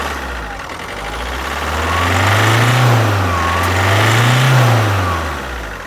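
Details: Alfa Romeo Giulietta II (Tipo 940, 2011) 1.6 diesel, 1598 cm³, 105 hp, engine code 940A3000, 312,000 km: engine revved up and down twice with an uneven, lumpy beat instead of a smooth rise; one cylinder has no compression.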